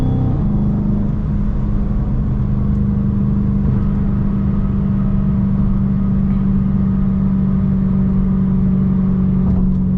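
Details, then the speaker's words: Chrysler 300 after a swap to a 3.09 Mopar limited-slip differential, driving: a slight, steady whine at one pitch under the road rumble while cruising. The source of the whine is unknown. "I'm hearing like a whne noise I don't know if y'all hear that let me know in the comments if y'all can hear that noise that I'm hearing it's like a slight whine"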